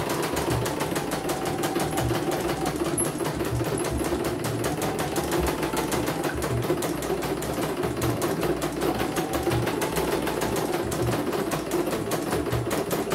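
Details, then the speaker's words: CNY embroidery machine (M21 label) sent in fully jammed with heavy rotation: steady rapid needle ticking with smooth motor hum, stitching normally. "Oke, kita jalankan, perhatikan normal. Oke ya, langsung jalan langsung normal ya."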